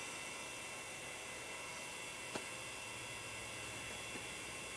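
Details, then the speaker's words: Quantum Daytona SCSI hard drive after its stuck spindle was freed and reset: even high-pitched whirr with airy hiss and faint clicks, short seek test, no spin-down; drive spinning up and running normally. "it's on i don't know if you can hear it it's on it did a very short little seek test it didn't spin down oh it's so beautiful now"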